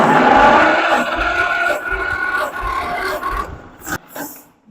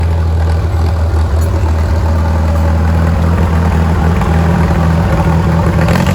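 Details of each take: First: Farmall M tractor, old engine, compression test on cylinder 1 while cranking: steady, even chuff about three or four beats a second; gauge reads 100 PSI, healthy for its age. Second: Farmall M tractor, running and smoky: low, lumpy beat with uneven stumbles and surging as it revs; misfiring on a cylinder, cause not yet pinned down.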